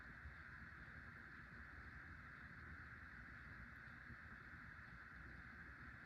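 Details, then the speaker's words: Hunter Low Profile V ceiling fan by CEI, dated 2003, after replacing worn bearings; soft even hum with low rumble, no ticking, scraping or grinding, much quieter, slight wobble, slower than its siblings: normal running. "It's much quieter with new bearings, and still has a little wobble, and it blows good amount of air."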